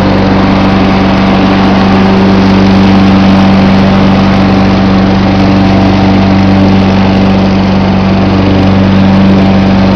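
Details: John Deere 14SE mower with a Kawasaki FC150V single-cylinder engine, cold-started with the choke: steady, even idle with a constant hum and no misses, knocks or hunting; sounds healthy.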